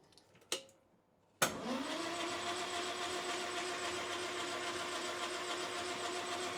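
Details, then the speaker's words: 1968 Land Rover Series 2A 2.25 L, unstarted about 30 years, rebuilt carburetor and fuel pump, cranking with spark plugs out to build oil pressure: quick even whir, no knocks or binding; turns over freely. "So, I think the the spark plugs makes it so it's difficult to turn over. We are going to replace those either way."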